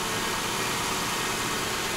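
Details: 2002 Lexus LS 430, 312,000 km, after timing belt replacement and a spliced wiring connector replaced; steady, even idle under heavy hiss, no ticking, knocking or stumble; normal idle.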